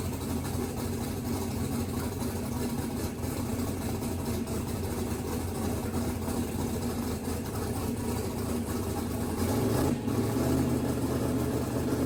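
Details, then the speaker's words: Mississippi Queen V8 after splicing a pulled-out CDI 600 wire; exhaust pipe very hot. Steady, even low idle with smooth rumble, no knocks or misses. Runs good, good oil pressure; timing still to verify, a couple of fuel leaks to seal. "Well, she runs. Got good oil pressure. Good. Yeah. Runs good."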